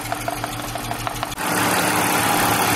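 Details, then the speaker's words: 1999 BMW E46 323i M52TU: uneven ticking beat with irregular pulses at idle; cylinder 2 not working, bad coil or compression suspected. "i swapped the number two and three coils here and now the engine is running smooth but sometimes it drops a cylinder you can hear it kind of get rough and then it goes back to being smooth"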